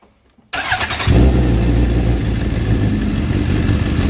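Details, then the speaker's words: Suzuki GSX-R 750 during clutch adjustment, engine idling steadily: light, even whirring rattle from the clutch basket, which keeps spinning on its internal bearings even with the clutch disengaged; this is normal. "Ese sonido que suena, no os asustéis ni nada, eso es normal, ese sonido, porque aunque lo veis seguir girando, cuando yo separo el embrague esto sigue girando."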